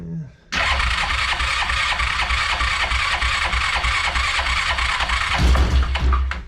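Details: Yamaha Rhino 660 UTV, cranked on choke after the idle was turned down: it fires after a brief crank and settles into a steady single-cylinder thump around three beats a second, even and clean. Normal startup.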